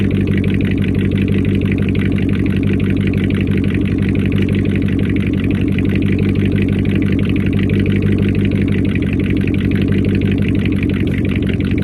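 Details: First start-up after a week down due to a bad alternator, a faulty Amazon unit whose pulley bearings were believed bad and screamed: steady idle with a low, even thrum, no squeal or knock; it sounds like a healthy engine.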